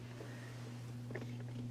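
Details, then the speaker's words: Two-stage vacuum tube amplifier on a breadboard: steady low hum with buzzy overtone; power supply filtering insufficient, larger capacitors or an inductor suggested. "there is some hum coming through I could use larger capacitors even a inductor on the power supply clean it up"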